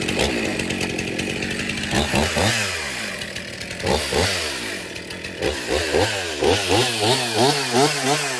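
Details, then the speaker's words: Stihl MS362 chainsaw, 7 years of hard use, in for hard starting and low power, test after service cutting hardwood: revs up and down cleanly, crisp throttle, steady high pitch in cut, no bogging or misfire; runs excellent. "okay so the 362 starts good runs excellent so that wood that I'm cutting back there that is a hardwood I don't know if it's Maple or Oak but it's a very hard wood"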